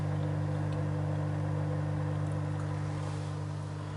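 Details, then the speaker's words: JBL CristalProfi e1501 canister filter on a 180 L aquarium: constant low drone with steady buzzing hum, louder than expected; owner asks whether this is normal. "Вот мой фильтр. Ребят, вот JBL у кого есть, подскажите, тоже шумит так?"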